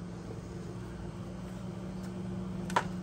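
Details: Rheem hybrid heat-pump water heater in test mode: steady low hum with constant tone near 200 Hz and soft fan rush; compressor and fan running normally.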